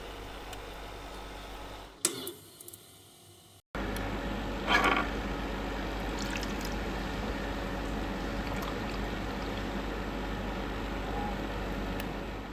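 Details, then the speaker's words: Portable ice machine after replacing the faulty limit switch: steady pump hum, water trickling, soft clatter as first ice batch comes out; working normally. "First set of ice blocks uh coming out of the machine. So, clearly it is working."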